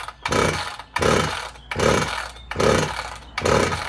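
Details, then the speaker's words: Husqvarna 162-type chainsaw, about 60cc with an apparent 48mm bore, new fuel line, won't prime: repeated pull-starter rasps about once a second with soft, easy strokes and no firing; low compression though the piston looks okay. "Just hasn't got the bite of compression you'd normally expect to have with this size engine."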